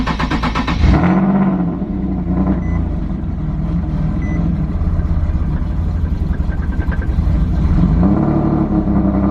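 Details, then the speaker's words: Boosted single-turbo Nissan 370Z Nismo: on start it catches, then idle sags well below 1000 rpm and labours as if about to stall before recovering; owner suspected a vacuum leak and smoke-tested, cause not pinned down. "what happens is when you start the car it only doesn't go start you start it it goes way below a thousand RPMs and then it catches itself I act like it's about to stall but then it doesn't stall"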